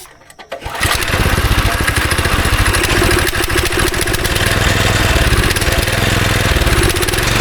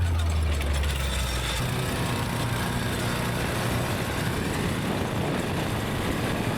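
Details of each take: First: Go-kart engine not run for about 3 years: after priming and carb cleaner it catches after a short crank, then runs lumpy, stumbling and surging with a bad smell. Bad gas is still trapped in a pocket of the tank. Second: Go-kart small engine after sitting about 3 years, fresh fuel, after a run up to about 35 mph: steady, even low rumble with no misses or knocks; motor cleared out, idles and runs smoothly, normal running.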